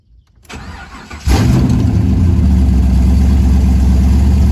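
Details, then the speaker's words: 1972 Chevy El Camino V8 with Holley Terminator X EFI, still untuned and no exhaust, cold start: brief crank, catches at once, deep steady loud open-pipe idle; clean cold start. "it's always started pretty good."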